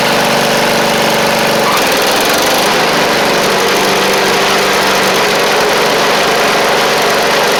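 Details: Briggs & Stratton V-twin on a free Poulan Pro (Craftsman) riding mower, steady drone sagging in pitch then holding, running rich and heavy; carb flooding heavily, needle and seat gone (fuel pump not suspected), carb to be replaced.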